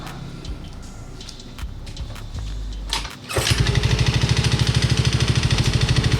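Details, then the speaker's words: Yamaha Mio i125 (M3) scooter that ran dry of oil, heard before teardown: after some clatter it fires up and a hard, regular knock at about two to three per second rings through the idle. Mechanic suspects the connecting rod because there was no smoke; not confirmed. "Pero ang sa mga ganitong senaryo, ang una kong hinala dito is connecting rod, no, kasi hindi naman siya umusok, baka connecting rod yung may tama nito."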